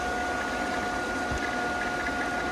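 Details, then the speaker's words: Newly installed replacement pool pump (the old one's housing had popped) priming right after start, sight glass showing water moving: a quiet, steady electric hum with a faint high whine over soft water rush. Normal priming. "okay, it's just now priming. It's moving the water pretty good already."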